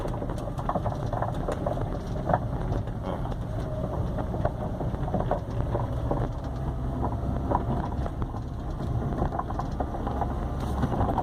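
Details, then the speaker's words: Peugeot 307 driven over potholes, with irregular hollow knocks like loose objects over road rumble, seeming to come from the right side/dashboard. Silent on smooth road; the cause was a burst, loose upper strut mount. "Aquele barulho estrondoso feio que tava lá era isso aqui, ó. Batente danificado, estourado, ó."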